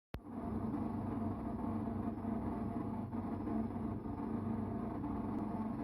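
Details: Electrolux Time Manager front-load washing machine: a steady, loud, low rough rumble seemingly on all programmes, not just the spin cycle, with no knocks. Abnormal noise; owner guesses the pump.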